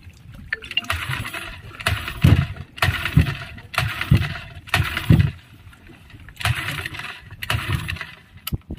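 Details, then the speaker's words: Yamaha 15 hp outboard, good ignition, carburetor primed, owner reports cooling stream was very strong before trouble; pull-starts about once a second with brief sputters that never catch, hard starting, blown head gasket suspected. "Ada tanda-tanda mau hidup tapi tidak bisa terus."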